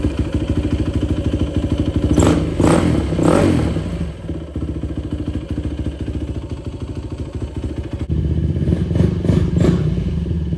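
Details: 2004 Yamaha YFZ450 quad after sitting, carburetor cleaned for a clogged pilot jet and new ignition fitted, on a freshly hooked-up battery: steady single-cylinder thump with clean throttle blips, picks up crisply and settles; fan kicks on, not overheating. Normal running.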